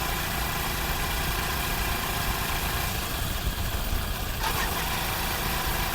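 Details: Honda CD70 after repair of a gear noise that was heard in fourth gear, first test run. A steady, even idle with no knocking or gear whine: normal idle.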